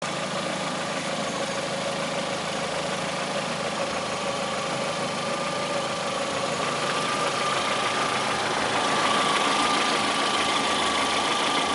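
Engine idling with a faint quick tapping, roughly three per second, over a steady hum; some knock at idle, cause unclear.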